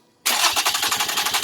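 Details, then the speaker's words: 2007 Toyota RAV4 3.5L V6 no-start with no RPM signal: crank sensor wires were ripped out of the sensor plug when the alternator was removed. The starter spins the engine briskly with even compression pulses, but it never fires. "this is one of the pins for the uh crank sensor look how i can look right through it they really they really shoved something in here and opened it"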